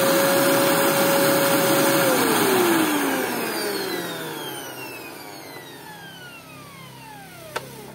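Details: Home Maker EV-800-S16 vacuum cleaner, after replacing noisy motor's 608Z bearing: smooth steady motor whine, then clean spin-down with falling pitch, no rumble or grinding. Normal running after repair.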